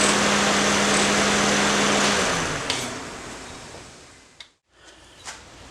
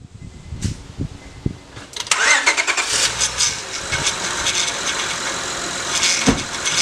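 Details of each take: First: Honda after replacing the failed power steering inlet hose O-ring and refilling with Honda fluid, idling with cooling fan running: no whine from the pump, power steering essentially silent; normal. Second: Honda, roughly 2002-on, engine cranks and idles: whining tone sweeping up and down, from the power steering pump drawing air through a failed O-ring on the inlet hose; fixed by replacing the O-ring rather than the pump.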